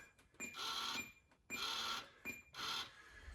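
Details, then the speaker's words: Schwinn 230 recumbent bike with lost resistance, set to the highest level: short bursts of resistance-motor whirring about once a second. The magnet moves a little but does not reach its full position. "can see on my console, it's the highest level. And so now that's pretty close, but not as close as it's supposed to be, because there's not supposed to be anything"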